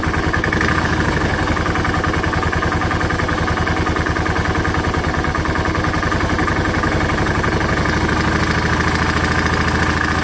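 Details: Piston slap knock suspected in a 2006 Suzuki S40 Boulevard (LS650 Savage) 650cc big single motorcycle at just under 4,000 miles: steady loud knock at idle, about three per second, keeping pace with the engine over an even exhaust thump.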